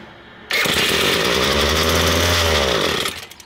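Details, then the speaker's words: Ryobi S30 two-stroke string trimmer after carburetor cleaning: sudden high buzzing start that surges and wavers about two and a half seconds then dies, running on the carburetor cleaner left inside; idle then needed adjustment. "okay so that was actually the gum buster burning inside the engine that whatever he was left in the the carburetor"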